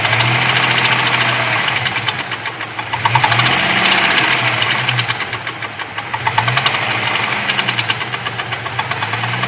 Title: Jeep 4.0 knocking noise hot engine.